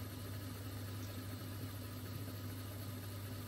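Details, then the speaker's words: Mastertronic water analyzer, rinse during reference fluid test, empty motor draining the reaction chamber until air bubbles appear: quiet steady low hum with even buzz, no knocks or rattles; drain pump running normally. "now it will empty again you can see the empty military starting and emptying here and you will soon see air bubbles again"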